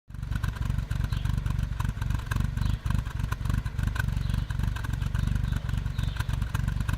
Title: Protege5 rough idle